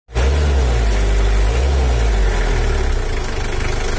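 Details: Mitsubishi L300 4D56 diesel, still factory standard, untuned since 2016, complaint of weak pulling, just after adjustment: steady low rumble with even beat, no misses or knocks; smooth settled normal idle.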